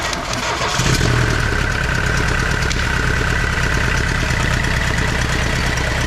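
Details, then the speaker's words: Tata Sierra indirect-injection turbo diesel, glow plugs preheated, cold-started in the workshop after body restoration: cranks briefly, catches and settles into a steady, even idle clatter with no misses; a healthy start. "വണ്ടി സ്റ്റാർട്ടായിട്ടുണ്ട് കേട്ടോ. ടർബോൻ്റെ ഒരു ശബ്ദം കേൾപ്പിച്ചു തരാം."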